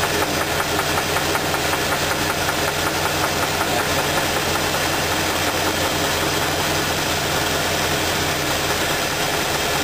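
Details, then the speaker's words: Sharp, regular knock two to three per second deep in the engine at idle as spark plug wires are pulled one at a time to isolate it; knock stops on cylinder two, a spun rod bearing. "so when I pull this bargain the spark plug off if it's not the right cylinder it knocking noise will continue if it's the right cylinder the knocking noise will stop"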